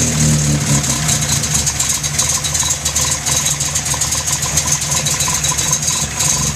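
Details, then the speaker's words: 1973 Datsun 610, cold start: catches immediately and settles into a steady, even idle with no misses, knocks or rattles; idle should settle once warm; healthy engine, normal cold start. "Starts right up to the cold. Idle should settle in once it gets warmed up."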